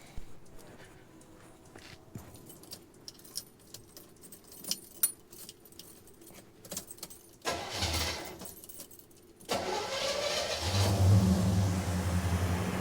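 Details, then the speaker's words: 1977 Chevy Nova Concours V8 after new plugs, wires, cap, rotor, oil, refitting a carburetor gasket suspected of leaking and carburetor adjustment: cranks, catches and settles into a steady, even idle with no misses. Normal start and idle. "I adjusted the carburetor as much as I could, and I think it's running better now."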